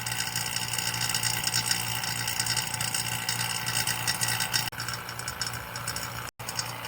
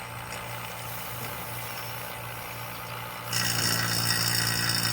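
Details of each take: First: Vacuum pump evacuating LG FLB075LBNA refrigerator system after linear inverter compressor replacement, R134a: steady whirring drone that quiets as vacuum nears complete; same sound with valve closed, normal. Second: Vacuum pump evacuating an LG linear inverter compressor refrigerator system before R134a charge: steady drone, then a deliberately created air leak makes it abruptly louder and rougher with a hiss; pump labouring with air leak.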